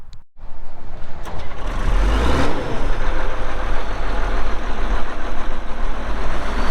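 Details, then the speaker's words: 2002 Volvo G736VHP motor grader with Cummins diesel, meter showing 6,691 hours (meter not working): catches after a short crank and settles into an even, deep rumble with no knocks or rattles; runs healthy. "this cylinder seems to be good and dry it does start up and run good you'll hear that here in a little bit when we fired up and do the operational video"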